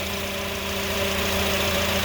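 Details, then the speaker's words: 2004-08 Acura TSX at idle after replacing the power steering pump O-rings and running five minutes: steady, even hum, no whine or groan; noise gone, though the fluid is orange and bubbling, still to be diagnosed. "as you hear it is not making the noise any longer so all it took was o-rings very easy to fix"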